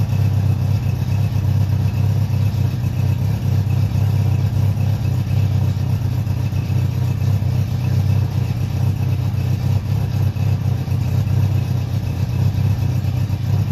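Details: Honda CB700SC Nighthawk inline-four running after carb cleaning for clogged pilots, fresh non-ethanol fuel, 4-into-1 exhaust, no airbox, throttle cables unhooked; steady even low exhaust drone, no misses, pops or knocks; normal running.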